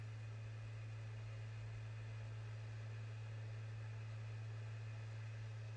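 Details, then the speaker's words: PS5 Blu-ray drive after securing a loose side panel that caused rattling during disc install: steady low hum of the spinning disc, even, no rattle or buzzing; drive running normally. "no more noise no more rattling sound only the smooth sound of disc spinning inside the blu-ray drive"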